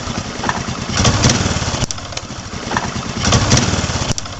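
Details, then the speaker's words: Honda Supra X 125 motorcycle that keeps stalling: revved twice, with a sharp snapping tick now and then as the leaking coil-to-spark-plug lead arcs sparks onto the frame; ignition lead arcing to frame, causing the stalling. "Pada saat tadi pengecekan terdapat adanya lontaran api, bunga api yang keluar dan mengenai ke bodi."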